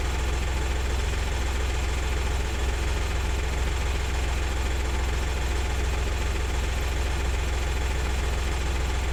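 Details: 2000 VW Lupo 1.2 TDI 3L diesel with automated 085 gearbox, idling during diagnostic scan with no faults found: steady even clatter with low constant drone, no misses or uneven beats; normal idle.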